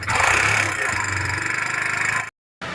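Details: Kawasaki Barako single-cylinder, oil filter installed backwards making the top end noisy; fast, steady metallic ticking over idle from the top end, like worn valvetrain; top end ticking noise.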